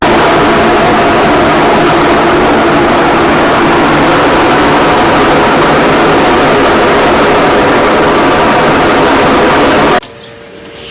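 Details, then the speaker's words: Colormaq washing machine in spin cycle: loud, rough, dense roar, spin being the main problem, then abrupt cutoff to near quiet; cause suspected, not confirmed, before disassembly. "Eu vou colocar ela na centrifugação, que é o principal problema, e depois vamos para a desmontagem."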